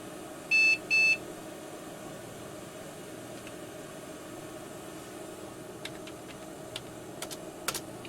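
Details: Digital picture frame PC, after reseating the network card: two short high POST beeps, then quiet faint clicks; RAM count runs slower than usual, cause unknown, BIOS settings suspected.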